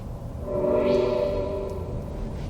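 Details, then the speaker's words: 2021 Toyota Mirai Limited hydrogen fuel-cell car joining the freeway in sport mode; smooth steady synthetic hum with a few clear tones over road noise, sounds weird like a spaceship; normal sport-mode drive sound. "sport mode just sounds weird it sort of sounds like a spaceship"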